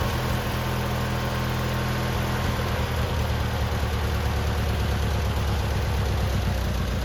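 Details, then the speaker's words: Free abandoned lawn mower, old gas removed and tank cleaned, started on choke: smooth, even low hum at idle with no skips, knocks or surging. Normal idle. "success all right so we got it to fire up and run and idle and do all the things we needed to do"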